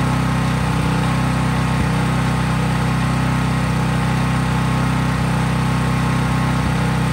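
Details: Craftsman 5000-watt portable generator after a cold start outdoors, at constant governed full speed with just an LED bulb connected, so unloaded: a steady, even drone without hunting or misses. Healthy, normal no-load running.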